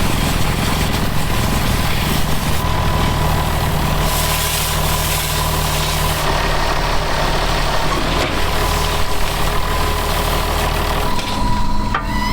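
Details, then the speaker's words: Rotavator gearbox on a diesel tractor while sowing wheat, heavy drone with constant mechanical rumble, much louder than ever though the housing is not hot; owner suspects low oil, cause unknown. "là on a remarqué que le rotavateur faisait énormément de bruit au niveau du boîtier donc pourtant il est pas chaud mais il fait du bruit comme jamais"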